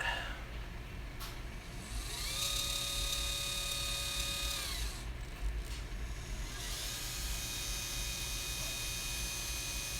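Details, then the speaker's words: Automated slider's pan motor, tilted up, set to high speed: a thin high squeal over a loud whir that fades. The screech is quieter than on the shoot the day before. "let's see if we can get a better screeching sound here I want to hear it"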